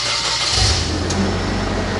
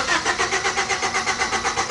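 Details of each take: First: Engine after the injector is replaced and new spark plugs are fitted: the engine catches and settles straight into a smooth, even idle with no stumble or miss; normal idle. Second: 1997 Honda Civic with an intermittent no-start complaint: the starter cranks the engine in quick even pulses, about six a second, but it never fires.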